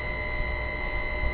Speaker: currently it is obtaining the stator data and it is pushing the whole flux voltage inside the motor, which is producing this sound.